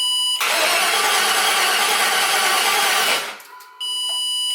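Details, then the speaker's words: LS Vortec swap in a 2003 Jeep TJ: starter cranks steadily about three seconds without catching, then a test-light beep; grounds are good, but computer switched power is wired to ignition-on only and drops out while cranking, so no start. "Yeah, just confirmed it. Cranking over, the power drops out."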